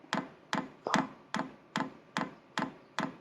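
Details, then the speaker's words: Vevor diesel air heater starting its cycle, glow plug heating then dosing pump delivering diesel to the combustion chamber: crisp, even ticks about 2.5 per second over a quiet background: normal fuel pump ticking. "Commencez à pomper du diesel à partir d’ici. Écoutons la pompe maintenant, puis lorsqu'elle est fermée on l'entend évidemment beaucoup moins."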